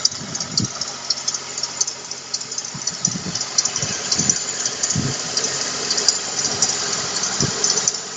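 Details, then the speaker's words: At idle, a high, thin chirping squeak repeats about twice a second over the engine, a squeaking belt idler pulley. "Сейчас заводим машину, смотрим, как будет скрипеть ролик."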